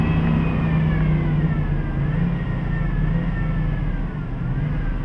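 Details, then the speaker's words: 2007 Dodge Durango engine revved above 2000–3000 rpm: thin medium-to-high-pitched whine over the rumble, rising with rpm, barely obvious at low rpm, no change when steering; serpentine-belt-driven idler pulley bearing whine, replaced. "kind of a medium to higher pitched wine definitely increases with increasing rpms"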